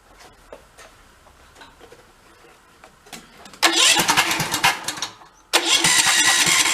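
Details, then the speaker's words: About 20-year-old Cub Cadet riding mower with sheared flywheel key, given some throttle: quiet cranking, then fires roughly, cuts out and catches unevenly, over-rich; choke found stuck on via separate lever, causing hard starting. "oh yeah that should be choked oh that joke is stuck out"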